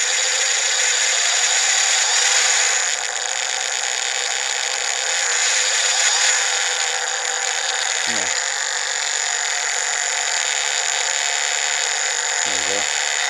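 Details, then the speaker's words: Brushless motor with sensors under an early PWM mark-control torque algorithm, spinning fast with speed then reduced: thin steady high whine over an even hiss, no knocks. Normal running with PWM whine. "But you certainly can you can get it going fast here. And I can reduce the speed and it reduces it."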